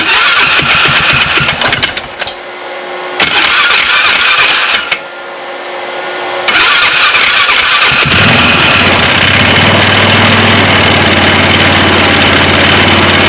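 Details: 2009 Polaris Sportsman 500 ATV just after replacing the driven clutch and belt: engine cranks a few times, catches and settles into a steady even run with no slipping whine; the clutch engages cleanly.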